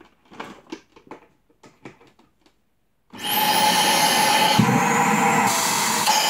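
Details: Dyson DC33/DC37 vacuum after budget cyclone and motor repair, reassembled for test: handling clatter, then motor spins up to a steady even roar with a clean high whine; running normally.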